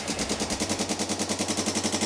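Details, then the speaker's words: Non-running ATV single with JB-Welded cracked case, after carb cleaning including clogged pilot jet, leaking some fuel: sharp fast ticking about nine to ten a second over the idle; valve train tick, loose valve adjuster, valves to be adjusted. "So, it is definitely noisy though. So, that's what I was afraid of. But, but it does run. But, yeah. Um, one thing I was afraid of, which you did hear, was the ticking. These things are prone to tick."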